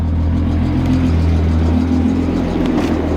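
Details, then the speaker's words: Car just brought home, new battery installed, cold start: steady smooth idle with even low drone, no ticks, misses or rattles; engine sounds healthy, in safe mode after dying. "Let's get us a proper cold start. Here we go. Ugh. Please start. I have missed this sound for so long. Oh man."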